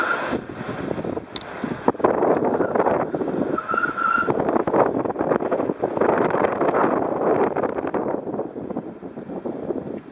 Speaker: another indication that there's something wrong with the alignment and the steering geometry of this vehicle is that even on very light low speed turns the wheels squeal as if they're fighting against each other